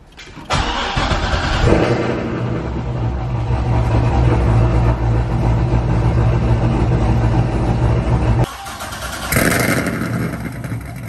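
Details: Cammed LS3 Corvette V8, first start after cam install with fresh oil and coolant: barks to life, then settles into a loud, choppy, uneven loping idle; the big cam needs a tune.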